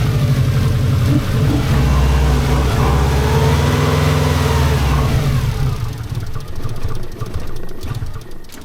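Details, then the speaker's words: 1990s Japanese turbo AWD rally car, flat-four, barn find woken after over a decade stored; lumpy, revs sagging and catching then fading, feathered on throttle as it won't idle on its own; cause not confirmed. "so it won't idle it won't idle I'm having to feather it just to just to keep it running"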